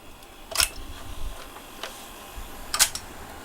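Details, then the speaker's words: GAF model 102 Rols dictation machine, pre-restoration with the mechanics running; two small solenoids push a lever back and forth under contact-and-relay control; sharp dry clicks a couple of seconds apart with faint ticks; working normally. "here you can see the solenoid mechanism in action right here there's two little solenoids which push the lever back and forth the control circuitry which controls the back and forth motion is entirely done with contacts and relays"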